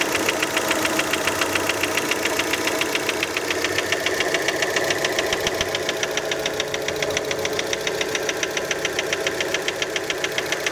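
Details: Fiat Panda idling just after a cold start: sharp, even ticking knock about three and a half per second, loudest right after starting; cause uncertain, many suspect piston skirt.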